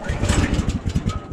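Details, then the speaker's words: 14 hp Kohler engine on a Woodland Mills HM130 sawmill, pull starts at -26 °C with choke on: uneven sputtering bursts each pull, coughs but never runs; hard start, owner blames the cold. "let's turn on the gas here put the choke on and this is a good negative 26 Celsius start oh yeah she's firm"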